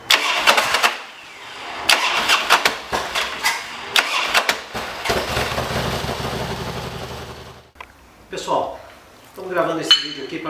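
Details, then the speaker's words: Harley-Davidson Dyna on a hot restart: harsh metallic clattering bursts as the starter engages, then the engine catches; starter clash from a worn compensator gear. "um problema na hora da partida aquele barulho que parece que está desmontando tudo parece estar treinando tudo por dentro ele é proveniente dessa peça que a partir desse compensador justamente essa engrenagem"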